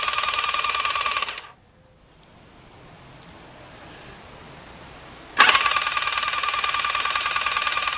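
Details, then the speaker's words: Rebuilt Thunderace engine before first start, cranked with spark plugs out to circulate oil: quick, even starter whir with no firing, a pause, then spins again; turning freely, nothing wrong. "so I've had it spinning over but I'm sticking the spark plugs out just to make it spin over a bit easier um if you listen to this uh so basically what I'm trying to do is I'm trying to get the oil circulated"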